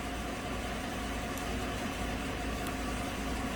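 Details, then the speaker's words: 2015 GMC Sierra crew cab 4x4, 5.3 V8, idling after about 15 minutes running, after removing tissue paper from the MAF sensor that caused P0171/P0174 lean codes and rough idle: steady, smooth idle, fuel trims about -2%; fixed. "so it's been running now for about 15 minutes seems to be running just fine"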